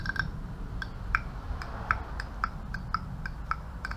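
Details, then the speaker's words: Old RD28 Patrol injection pump hydraulic head resting on the negative terminal with power tapped on and off: sharp, crisp clicks as the fuel shutoff solenoid opens and closes properly, unlike the GU pump solenoid, which won't open. "you can hear that that's opening and closing fine but my uh gu one just seems to not be i don't know why that is"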